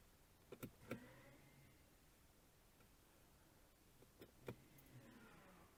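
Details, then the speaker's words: Mercedes ML 250 electronic parking brake applied via diagnostic tool after fitting a new actuator with new bolts: two short, quiet electric motor whirs, each with a click, then silence. Both actuators working normally. "Well, they both seem to be working okay."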